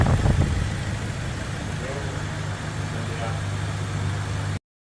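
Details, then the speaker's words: Toyota Innova petrol (2014) after blackcore cleaning and a carbon-cleaning treatment run through the engine; steady low idle with light quick ticking from the injectors, which are the dominant sound, engine otherwise smooth: normal idle. "Setelah proses selesai, yang kedengaran keras hanya injektor saja. Suara injektornya sangat dominan."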